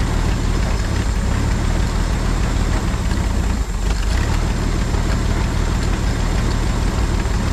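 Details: 1950 Chevrolet Styleline, parked around 7-9 years, first start after revival: loud, steady low rumble holding for several seconds with no knocking or misses; the old engine runs smoothly.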